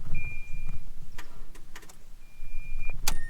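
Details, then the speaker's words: Mazda that had cranked slowly and failed to start; key turned before hooking up an IMAZING IM29 jump starter. Only faint clicks and a warning chime, no cranking: dead battery, won't turn over. "So obviously that's dead, it won't even turn over."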